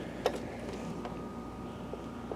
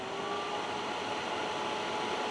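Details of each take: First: Optoma HD141X projector, owner fitted a new lamp and it wouldn't light; low fan hum, then the color wheel motor whine sweeps up and holds because its index mark fell off and the sensor can't detect it; motor is fine, fix is replacing the mark. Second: Optoma HD141X projector after replacing the missing color wheel index mark, door switch bypassed and no working lamp: a steady even high whir with no buzz or rattle as the wheel spins up before the expected lamp error; normal spin.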